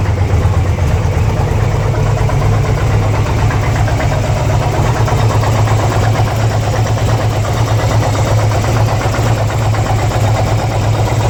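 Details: 2002 Harley-Davidson Ultra EFI twin cam V-twin idling: deep, lumpy thump with a busy, clattery ticking on top; cause of the strange engine noise unknown.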